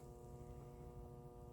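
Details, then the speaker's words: Battery charger on 50 A engine-start setting charging a very dead Optima Yellow Top battery, voltage reaching 14.4 V: steady low mains hum with a buzzy edge, even and unchanging. Normal charger hum. "14.4 is not bad. And you can hear it buzzing."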